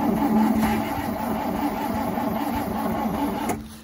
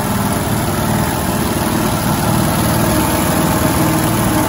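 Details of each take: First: 1971 International 1310 V8 grain truck, with gas poured into the bowl and a bad accelerator; steady cranking at about four turns a second for 3.5 seconds that never catches. Cranks but fails to start. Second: 1971 International 1310 grain truck V8, first start after sitting, bad accelerator, fuel added to the bowl: steady, even low rumble at idle with no misses, knocks or surges; running smoothly.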